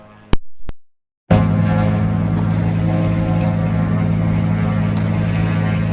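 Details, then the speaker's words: Engine #2 of aircraft N3318Q after run-up and prop check at higher rpm, microphone cord pulled: deep steady propeller engine drone, even and smooth, running normally. "I'm going to pull the microphone cord out for a second, let you hear the noise of the engine before I turn it off."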